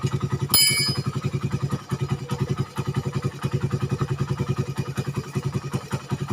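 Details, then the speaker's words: Suzuki Satria FU 150 cc after refitting the cam chain with correct top timing, which another workshop had set wrong and left it rough, weak and fuel-hungry. Now a small single chugs about 2.5 beats/s, fairly even, with a few throttle blips. It runs healthy. "ini real nyata, dan ini hasilnya udah beda. Dan tadinya langsamnya udah kacau dan suara banget kasar, dan motor loyo yang pasti BBM boros."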